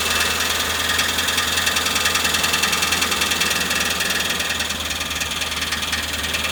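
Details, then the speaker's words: Old Ford van with 5.4/4.6 V8, transmission just refitted after sitting about a year: loud harsh grinding over running engine, rough repeating beat about three times a second; bent flex plate, replaced with new one. "So, basically, my flex plate was bent. That's why you hear those grinding noises."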